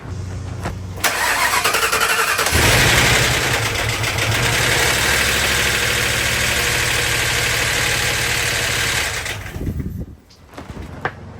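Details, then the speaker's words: Crown Vic engine in a C20 frame swap, first start, up in the air: a loud, fast metallic clatter like a bag of bolts. An oil galley plug from the back of the head was fitted in the wrong place, so the timing chain tensioner got no oil pressure and the chain guide broke. "So, the tensioner was getting no oil pressure and it broke the old guide and rattled around like a bag of bolts."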